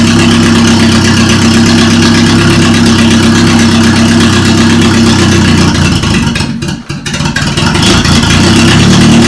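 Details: Toyota Corolla idling after its engine was reinstalled and a bad starter ground was found: a steady, even idle with a smooth low hum and no knocks or misses. The engine runs cleanly.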